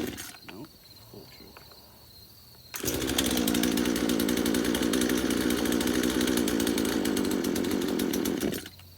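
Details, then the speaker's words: Craftsman chainsaw, first start after about five years in a shed: fires and holds a rough buzzy high idle about six seconds then cuts out; struggling for fuel, it only runs with the choke on. "okay so it only wants to run with the choke on"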